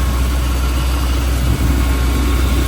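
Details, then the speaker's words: 1961 Chevrolet Apache C10 pickup with a 3-speed manual, revved from idle in neutral; a heavy, even low rumble holding steady with no tapping, knocking or squeal, so the engine sounds sound. "That sounds pretty good."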